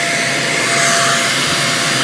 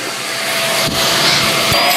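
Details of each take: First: Greenote corded AC stick vacuum (18 kPa, HEPA, bagless) switched on and run briefly to show its sound: steady high whooshing motor tone at constant pitch, no rattle or surging; quiet, normal running. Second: Greenote corded AC stick vacuum (18 kPa suction, HEPA, bagless) held up: steady high whine with thin upper tone creeping upward over seconds; weird harmonics noise occurs off the floor and goes away on the floor, cause unclear.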